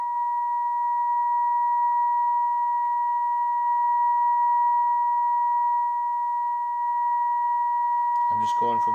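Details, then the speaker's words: 1937 Grunow 588 radio while tuning the IF capacitors: pure steady test tone whose loudness sags and recovers, then cuts to crackle; intermittent cold solder connection dropping the signal, possibly fixed when RF-side components are replaced. "whatever's causing that cold connection is now the biggest issue and it could be when i go in and replace the components and restore the rf side to probably take care of it"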